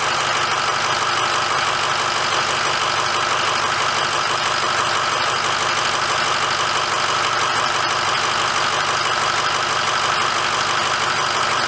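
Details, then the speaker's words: 2006 Ford F350 diesel run for a minute after oil change with oil topped off: steady even idle clatter with no misses, knocks or surges; normal smooth idle. "okay let's start her up and let it run for a minute"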